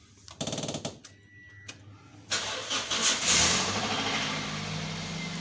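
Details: Toyota Corolla cold start in the morning: cranks, catches, then sharp metallic rattle over the first seconds; timing chain noise, fix requires opening the timing cover.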